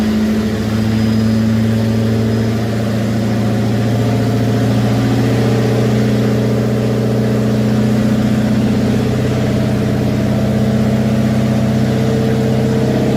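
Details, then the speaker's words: Homemade twin-supercharged Grand Marquis V8 after an FMU dial adjustment: deep, lumpy idle with a steady heavy low rumble, still running pretty rich and needing more fuel adjustment. "I'd say still pretty rich"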